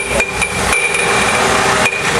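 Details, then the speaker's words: GM 3.8 engine: clunking that seems inside the engine, easing when revved and returning as RPM drops, then loose metal clanks like bottles banging at shutdown; a separating harmonic balancer. "if you hear that noise it sounds like something's clunking inside the engine and it can kind of sound bad"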